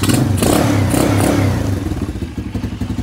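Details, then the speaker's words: Venom X20 125cc after carburetor replacement with a filter fitted on the intake hose; started first try, then a short blip and it settles into a steady, even putt-putt idle, no misses: idling healthy. "Look, and it's idling beautiful. Look at that, idling perfectly fine. No issues."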